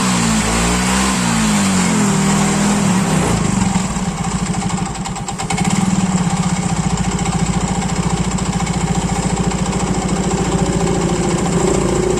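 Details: Yamaha Mio Soul GT scooter left unused several days and wouldn't start: after a brief stumble the single settles into a smooth, even idle putter; fault turned out to be just the spark plug, now runs healthy.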